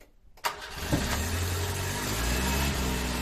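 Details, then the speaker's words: 1970 Renault R6: a brief crank catches quickly and settles into a steady, even idle, starting much better than before. It was then run to warm the carburettor. Normal start. "à démarre bien mieux qu'avant donc du coup là c'est quoi que tu fais c'est que tu l'as fait chauffer pour cabure ok"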